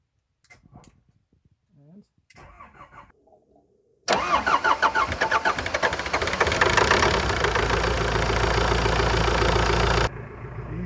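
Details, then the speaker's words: Old CAT excavator, engine not run in years, after draining contaminated fuel, started on the key: quiet clicks, brief crank, diesel catches straight away into a steady even idle; clean start. "as that burn straight up [Applause] sounds good sounds very good"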